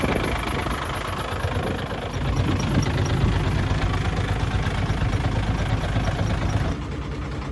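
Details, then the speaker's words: Truck diesel engine on cold morning start after gearbox install: fast thin high-pitched chirp repeating over knocking idle; squeak disappears once engine warms, after about 15 km; cause unknown, owner asking. "вот почему кто подскажет из-за чего вот на холодный слышно этот звук как только становится Ну двигатель теплее он пропадает"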